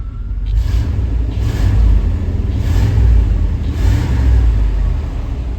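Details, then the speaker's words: 1991 Chevy Silverado OBS small-block V8 with 399k miles, after fixing two swapped spark plug wires: deep, even rumble with smooth swells when revved in gear, no misfire or popping; running properly. "Hey, let's see what happens when we go in gear. Pretty smooth."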